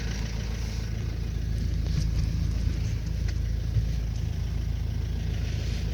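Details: 2005 Renault Trafic 1.9 dCi diesel at idle: steady clatter with a light repeating knock, about three a second, cause undetermined; engine knock at idle.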